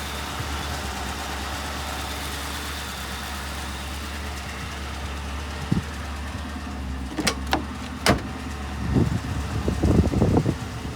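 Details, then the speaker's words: 2010 Ford Crown Victoria Police Interceptor, 4,658 engine hours, suspected bad fuel pump, started on fuel poured into the intake and not revved. A low, steady idle hum with no misfire or ticking, then handling noise; the engine sounds good. "Engine sounds good. I can't rev it up, but you could hear the engine sounds good."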